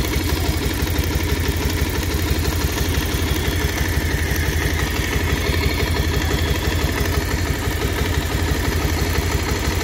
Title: pulsar 150cc dual disc bs6 2023 model engine sound problem 😱#bike #shorts #soundcheck